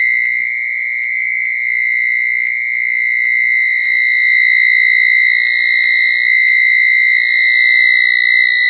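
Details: 1980s microwave oven after five blackouts in a week: loud, continuous high whistle with faint ticks about four times a second; abnormal electrical tone, blackouts suspected as cause, not confirmed.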